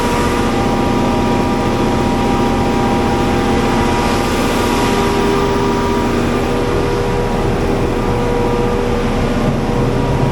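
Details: Diesel generator at a Manhattan utility area, running after oil level checked full, before minor service: steady even drone with constant low rumble, no knocks or misses; running smoothly and healthy.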